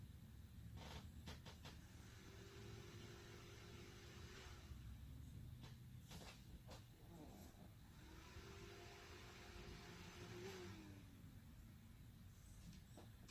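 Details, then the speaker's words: AMD Ryzen 5 2400G build on replacement ASRock A320M PRO4 board, 16GB DDR4-2400, testing one RAM stick per slot: fans hum up a few seconds then wind down, twice; reaches BIOS briefly then shuts off, CPU cool, cause unconfirmed. "It went to BIOS for a second and turned back off. That's the first time I actually got it to do with one stick. So it goes into the BIOS and then turns back off."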